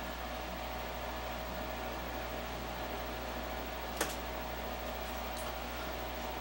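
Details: Multi-speed air purifier with failed logic board, just resoldered: smooth steady airflow hum at even level with one brief click midway; fan running normally.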